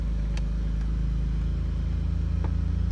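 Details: 2002 Pontiac Grand Prix after an ignition switch replacement, running for the first time in 5 years: a steady, even low idle with no knocks or squeals, settled and smooth.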